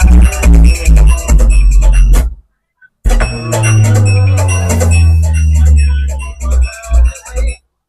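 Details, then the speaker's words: Cave 3000 W amplifier after repairing the channel that gave cracked, distorted sound, with voltages restored: music plays back clean and full with strong bass, no crackle or distortion. "तो आप सुन सकते हैं आवाज जो है सही हो गया है"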